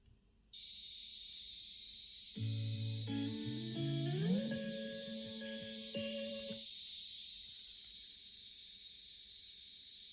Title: MacBook Pro (16", 2019) hissing noise during/after audio playback